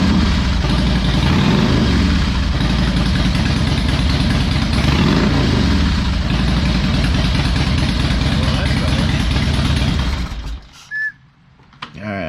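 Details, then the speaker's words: Harley Electra Glide V-twin, owned almost five years, just restarted on fresh oil after new spark plugs and cleaned air filter (plugs had been backing out): deep, even loping potato-potato idle, steady ten seconds; running better, normal idle. "think she's running a little bit better youtube just a little bit now on a serious note though it really is running better"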